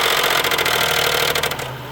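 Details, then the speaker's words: Worn engine at 223,000 miles with coolant buildup in the oil, described as near seizing. Rough idle with bursts of sharp knocking from the top end. The owner suspects a rod hitting the top, possibly a lifter. Engine knock at idle. "it's definitely not sounding good uh it could be even a rod knock on this on the top so maybe one of the lifters but uh I think one of the rods is hitting the top"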